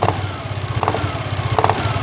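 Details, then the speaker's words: Yamaha Aerox scooter on center stand, steady idle then sharp clicking bursts about every three-quarters of a second from the CVT area as throttle opens gently; worn CVT bushing. "kasusnya dia di area blok sipitnya jadi pada saat di gas pletok betok"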